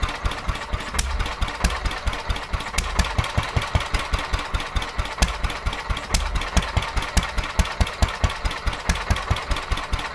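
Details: Petter A11 (A1 series 2) single-cylinder vintage stationary engine, owned 12-13 years, sat damp in a container for four years; slow thumping about two beats a second, uneven strength and spacing; rough running, owner suspects fuel starvation from dirt in the carburettor.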